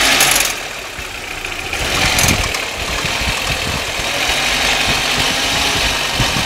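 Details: Audi 1.8T (AEB engine) at idle: light metallic clicking ticks over an uneven idle with some hiss; cause unknown.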